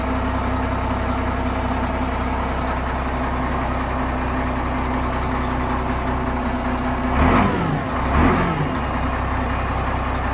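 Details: Changlin PY165H motor grader, rebuilt Cummins C-series-type diesel, still warming up, oil pressure 1.6 MPa: steady deep even idle with two brief throttle blips, no knocks or misses; healthy after rebuild.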